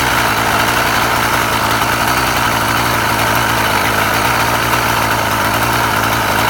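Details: Husqvarna 36 chainsaw after repair (impulse piece found at fault), warming up: steady, even two-stroke idle with smooth buzz, no misses or surging; now restarts first pull every time, needle bearing still awaited; normal idle.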